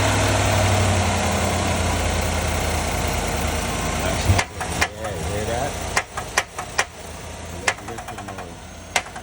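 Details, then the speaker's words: 2022 Chevrolet Silverado V8 at idle: light, quick ticking over the rumble, then sharp uneven clicks; lifter noise, fixed by replacing lifters and pushrods, ticking gone afterward. "But today I got a 22 Silverado. Got a lifter noise."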